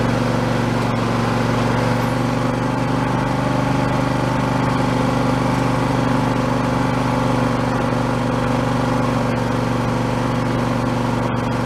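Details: Husqvarna YTH2454 mower, 24 hp Intek V-twin, after carburetor rebuild with a kit: smooth even run with a steady low hum, no misses, knocks or hunting; engine healthy, declared fixed.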